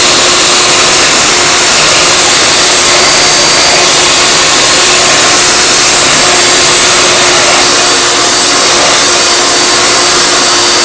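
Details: Hoover Elite vacuum motor with brand-new bearings, run on a Futura after 10 minutes of running: steady high-speed whirr at an even pitch, no rattle, scrape or bearing growl; normal motor run.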